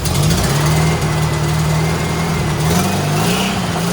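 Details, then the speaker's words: Rat rod Porsche with custom turbo setup, new turbo intake tube and bigger carburetors just fitted: strong, even engine note that climbs smoothly when revved a little, no misses or knocks. It runs much better and clears well. "Sounds really good. Oh, I'm so excited about this."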